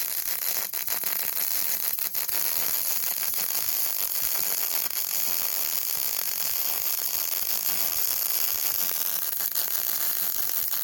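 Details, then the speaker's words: Yeswelder MIG-Pro250 MIG welding 5/16 in steel plate for a hydraulic steering cylinder mount: steady arc sizzle broken by occasional sharp pops where the arc hits rust impurities, likely causing porosity holes in the bead; frequent popping means stop and clean. "every now you turn every now and then you'll hear a little bit of a pop sound and that is me getting into a little bit of the rust so it's impurities and that pop is most likely a little hole in the bead called porosity"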